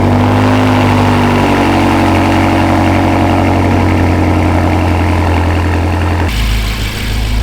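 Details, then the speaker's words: BMW M5 twin-turbo V8 with straight pipes, just after ECU tune, cold start before warm-up: loud, deep, steady burble settling lower, no knock or misfire; normal idle, much louder than before. "Okay, guys, dude, this thing absolutely sounds like a rocket ship. It's way louder."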